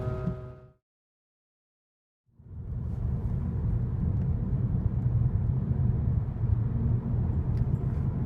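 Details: Audi A4 B8 driving, heard from inside the car after front right wheel bearing replacement: steady low road rumble with no hum or growl; the wheel bearings sound normal.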